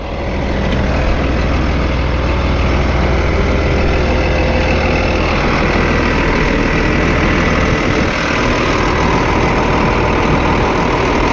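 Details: 8300T truck diesel at final assembly after an engine rebuild, before a test drive: steady, deep idle with an even beat and no knocking or ticking; owner says she sounds good; normal idle.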